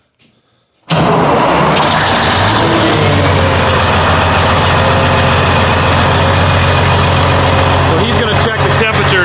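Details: Farm diesel engine after replacing a failed fuel injector with one taken from a Peterbilt and setting injector timing: brief crank, immediate catch, steady even idle with no knocks or misses; running properly again.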